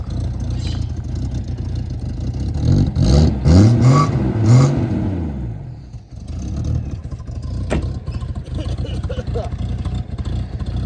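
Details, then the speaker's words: Quick revs after the muffler swap: a deep exhaust rumble that rises, falls and settles, running very rich and smoky with the airflow meter disconnected (new one still needed); the front resonator is still damaged. "She's running very rich. Need to put that thingy on there. I need to do the airflow meter, but that's a job for another day."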